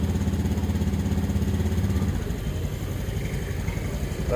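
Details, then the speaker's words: Honda Scoopy 2017 after replacing worn rollers, roller housing and cracked fan belt (complaint: rough noise uphill, sluggish pull), ECU reset in mode 1, idle set by ear: steady modest idle settling slightly lower, smooth and even; normal idle. "langsam kurang besar dikit karena saya tidak punya alat, dikira-kira saja. Pokoknya langsam gak kebesaran ya gak kekecilan."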